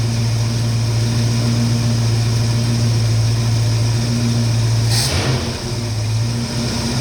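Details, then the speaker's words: 1969 Mustang V8 timed at 14 degrees (suspected cam), smooth after earlier shaking; deep even burble then a quick clean rev blip dropping straight back, crisp throttle response. Normal free revving. "great, got really good response, throttle response."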